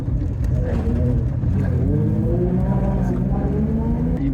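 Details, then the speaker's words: BMW E36 drift car driving after a fresh alignment with a newly fitted 3.64-ratio rear differential: engine pull with loud gear whine rising and falling with road speed, a clunk noted; diff noise drowns out the tyres; loud differential noise. "That's the new Is that the new diff? This is the new diff. That's why it's noisy. That is so noisy. Wow."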